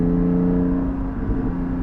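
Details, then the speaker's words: Porsche 718 GT4 with a Soul exhaust, heard from the cabin with the valves closed, at about 3,000 rpm and an odd partial-throttle level: a steady low hum; transitional exhaust drone. "30 300 rpm just a little bit of transitional drone right there but you have to be at like a weird weird level of throttle engagement for that to even happen"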